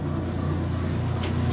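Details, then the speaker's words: Kenmore 90 series top-load washer with a previously broken motor coupler gives a steady low motor hum in the spin cycle with no load coming on, and the tub won't turn; a further fault is suspected beyond the coupler. "what's going on i hear something spinning but the tub isn't turning let's take a look"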